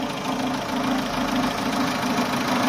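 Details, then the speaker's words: Chevrolet Aveo with check-engine light since a DIY A/C refrigerant refill: covering the EGR hose to the throttle body gives a low, lumpy idle that nearly dies; released, revs swing up. Suspected intake vacuum leak at that hose. "แต่พอปล่อยสวิงขึ้นนะครับทุกคนคิดว่าปัญหาน่าจะอยู่ตรงนี้นะฮะคนมองผมมืดนิดนึงนะก็คือท่อตัวที่มันออกจากEGRตัวนี้นะครับเพื่อส่งหมุนเวียนอากาศกลับเข้าไปใช้ใหม่กับตัวปีกผีเสื้อนะครับมาเข้าตรงนี้นะครับ"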